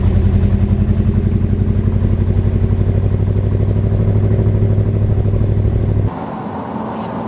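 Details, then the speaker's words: Chevrolet K1500 truck after fuel pump replacement, driving in second gear above 2000 rpm under load: engine pulls hard, then pops, stutters and backfires before bogging; apparently running rich, cause not confirmed. "So we're second gear, then we start backfiring."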